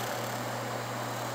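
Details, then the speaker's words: Seagate FreeAgent Pro external hard drive after replacing failed power-supply capacitors: steady quiet hum with one constant low tone, no clicks or ticks; drive spins up normally, light stays solid instead of blinking. "like it's spinning just fine so let's plug in the uh e sata too"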